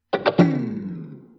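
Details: JBL Flip 5 Bluetooth speaker powering down by itself after Volume Up and Play are held about five seconds for a factory reset: three quick low thumping notes, the last ringing out and fading; normal power-down sound.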